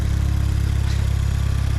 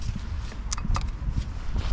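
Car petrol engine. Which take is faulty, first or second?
second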